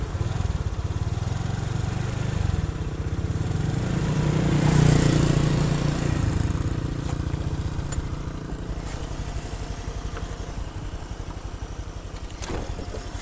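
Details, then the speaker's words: Honda Vario 125 FI scooter after full internal engine overhaul and throttle body/injector cleaning: even low thrum rising briefly with throttle then settling, no knocks or rattles; smooth, healthy running. "kalau mesinnya sudah halus untuk mesin sektor mesin itu juga halus karena bagian internal engine sudah saya bersihkan secara total cara menyeluruh"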